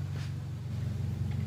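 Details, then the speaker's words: Honda hatchback engine after valve seals, timing belt, cam/crank oil seals, bearings and corrected exhaust rocker arm, no thermostat; quiet smooth idle, no top-end clatter, previously noisy valves. Normal idle. "Ayun yung tunog niya ngayon. Samantalang yung dati niyan, napakaingay yung barbulan niyan."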